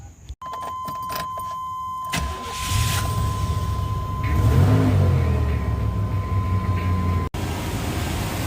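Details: 1997 Chevy C2500 5.0 V8, started after replacing the loose, screeching idler pulley that threw the serpentine belt and installing the new belt: brief crank, then it settles into an even idle with no belt squeal and a steady chime alongside.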